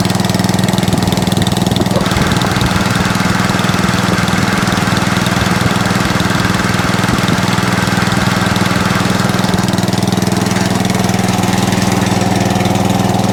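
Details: Atco Balmoral cylinder (reel) mower running steadily with the reel engaged: a light, uneven fluttering chatter underneath from the belt. Minor belt chatter; owner calls it no biggie.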